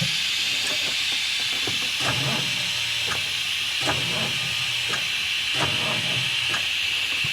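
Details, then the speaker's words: Big truck, diesel just fired up: a loud continuous high hiss over a rough idle with intermittent clatter, a massive air brake system leak; fuel suspected losing prime through a check valve and filter base not holding. "Fired up pretty good. It did. Massive air leaks."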